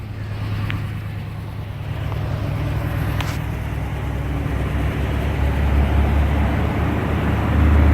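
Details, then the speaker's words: 1989 Jeep Grand Wagoneer after restoration with new fuel injection and belts, hood insulated: low, soft, steady hum with no knocks or ticks, traffic behind; normal quiet idle. "see how quiet that engineers now we're gonna look under the hood"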